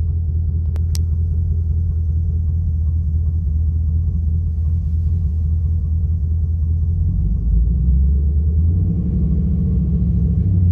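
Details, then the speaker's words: Chevy Camaro V8 with Service StabiliTrak message, codes P0174, P0202, P0302: rough idle stumbling like a machine gun with a slight knock, from cylinder 2 misfire, injector open circuit. "it actually kind of like you know it kind of goes like a like a bit of a what's that word like a machine gun kind of thing it doesn't it doesn't really sound normal you know"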